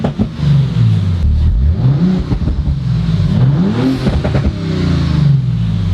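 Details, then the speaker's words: 2019 Audi RS5 rebuilt from a heavily damaged auction car, warmed up for the first time: loud, deep exhaust rising and falling cleanly through blips, crisp and even with no misfire; apparently running without mufflers, and they wonder whether it is tuned. Healthy revving. "tune man actually though what if it is tuned what the heck i didn't realize that that's not sick dude i know it sounds really good like a little bit too good to be true"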